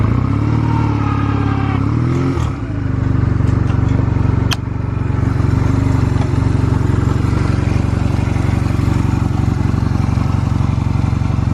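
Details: Stored Honda Rebel 250 Special (MC13-1103) start-up check: engine catches after a quick throttle blip, then settles into a steady, even idle with no knocks or rattles; normal idle, no abnormal engine noise.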